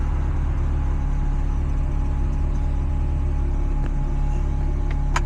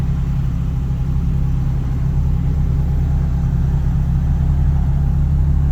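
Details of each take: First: 1990s NA Mazda Miata at warm-down idle after start, retrofitted with a custom remote-mounted Ford idle air control valve replacing the failed original; smooth low idle with a faint constant high whir from the loud new valve, idling slightly high initially. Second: Mazda NA Miata with standalone ECU, first cold start of the day on a new custom remote idle control valve (old IACV failed): steady, even fast idle around 1,200 RPM, expected to drop to 1,000 when warm; normal cold fast idle.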